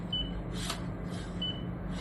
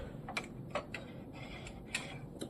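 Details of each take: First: New Canon MAXIFY GX4070 printer: two short clear beeps with paper rustle when feeding through the rear panel, paper detected normally, unlike the ADF, which fails to detect paper for minutes after startup. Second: Canon MAXIFY GX4070 printer just after startup, paper fed into the ADF: scattered light clicks in a quiet room but no detection beep; the ADF fails to detect paper for 8 to 16 minutes after power-on.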